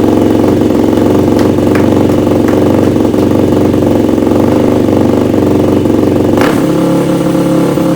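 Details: Yamaha YFZ450 single-cylinder quad after rebuild, revved after idle and air screw adjustments: loud raspy uneven revving with sudden drop; runs poorly despite new float needle, owner considers fully rebuilding carburetor body.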